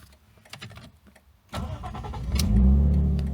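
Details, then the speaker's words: Lexus IS200 drift build after a fuel pump replacement: following a deliberate stall it catches at once and rises to a steady, even idle, then is revved to 4K. A normal start; the owner guesses the new pump hadn't registered at first. "Dude, the car starts like normal."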